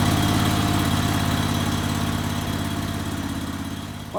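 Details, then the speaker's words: 1998 Craftsman GT tractor, Kohler CV25S 24 hp V-twin, after head gasket replacement: even drone that fades and weakens over a few seconds; fuel starvation; owner suspects dirt in the carburetor jet after tipping the carburetor, not confirmed. "ran good for a little while but I started to starving for gas so I think when we had the carburetor tipped up there it must have got some dirt in the jet or something there"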